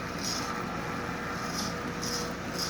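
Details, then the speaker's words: Lionel Sound of Power mechanical tender behind a Marx 1666 locomotive, drive belt replaced with a rubber band: at slow speed a soft rhythmic hiss of about two chuffs a second over the running hum, silent at higher speed; working normally. "It does make noise, but like I said, when you get up speeds like this, it just becomes a standard tender. Slow it down, and it instantly begins to make noise,"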